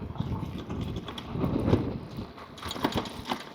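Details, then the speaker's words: Wallke H7 AWD dual-motor e-bike, 48V 60Ah battery, riding through grass: irregular clattering bursts over rough-ground rumble from the battery pack loose in its cage; hasn't caused issues. "you can hear that rattling that's the the battery is a little bit loose in that cage it's kind of jumping around"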